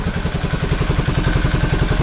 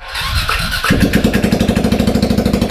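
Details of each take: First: 2003 Suzuki Burgman 400 scooter revived from junk, muffler refitted, only an oil change so far, original plug, valves still need adjusting: steady, even single-cylinder putter at a quick idle with regular pulses, no knocks or misses; normal idle. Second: 2003 Suzuki Burgman 400 scooter revived from junk, clutch destroyed, started with the muffler removed: starter whirs, then the single fires up and runs with a loud, raw, sharp popping beat from the open exhaust; loud exhaust with muffler off.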